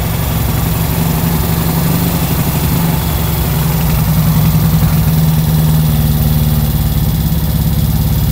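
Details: Kawasaki ZX130 single-cylinder after kick start, 28 mm carburettor, silencer fitted: steady low idle, even beat with no misses, rattles or hunting; sounds fine.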